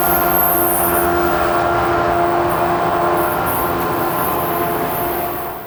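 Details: New Jersey Transit PL42AC #4000, EMD 710 diesel locomotive, heard while waiting for an equipment move: engine drone with a steady high whistling hiss like a vacuum cleaner, not typical for an EMD 710; cause unknown.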